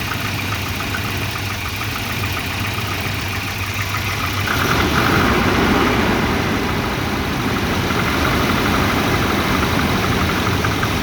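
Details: Volvo 240 petrol engine with wavering idle that gets louder partway through, uneven lumpy beat; multimeter on the O2 sensor gave erratic readings once exhaust warmed up, and a new exhaust oxygen sensor fixed the rough idle.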